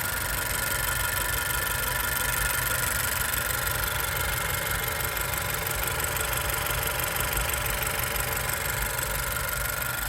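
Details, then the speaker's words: 2020 Honda Civic Sport hatchback CVT at 50k miles, idling after startup: steady even idle with light fast GDI injector ticking, belts quiet; healthy engine. "and you can hear the GDI injectors making their little sewing machine noise high pressure"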